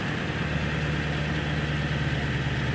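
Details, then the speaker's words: Early 1999 Ford Super Duty 7.3L Powerstroke diesel with TS 6-position chip, high idle selected then back to stock: steady diesel rumble at slightly raised idle, even firing, no knocks or misses; healthy. "first ones high idle so go back to stock high idle again"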